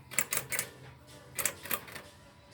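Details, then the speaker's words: Honda CRF250L right after a brake pad replacement, with the wheel off the ground and spinning free. Light sharp ticks, three quick then two more, repeating. The owner suspects an anti-rattle shim is catching the extreme edge of the disc. "well that can only be that can only be the uh any anti-rattle shim catching on the extreme edge of the disc"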